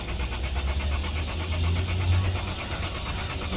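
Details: 2011 Lexus IS 300 that cranks but won't start: a steady, low starter churn that never catches. No fault codes, so fuel pressure is to be tested first; a fuel supply problem is suspected, not confirmed.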